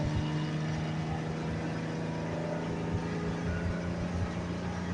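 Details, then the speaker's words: Lincoln six-cylinder after replacing the three front spark plugs (one heavily carboned) and repairing a broken plug wire boot: smooth, even drone, no stumbles, revs to 4000 rpm; misfire fixed, normal engine running. "outside yeah baby no more misfire what"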